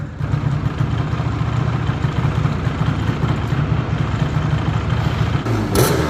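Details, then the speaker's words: 1987 Yamaha Banshee 350 two-stroke twin quad, sat over ten years, just restarted and warming up: crisp, even burble settling into a steady rhythm with light blips, no misfire or knock, normal running. "Since it just started up, I'm looking, listening, even smelling for anything out of the normal. Just letting this thing warm up and get back to life. Listen to that baby purr."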